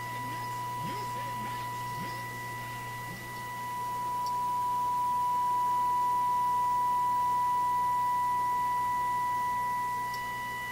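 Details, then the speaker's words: Viking console stereo on an RCA WR-52A FM signal simulator, recently switched on: steady test tone and overtone slowly swell and sag over seconds; owner suspects tuning drift or misalignment, unconfirmed, investigating FM fading. "So the radio may not be adjusted properly, may not be aligned properly. 8. You can certainly hear it in my ears, a variation in the tone, but so that's about maximum."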